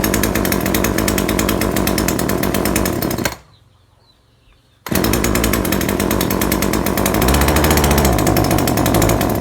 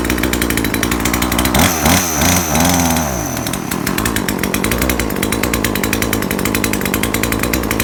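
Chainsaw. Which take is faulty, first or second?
first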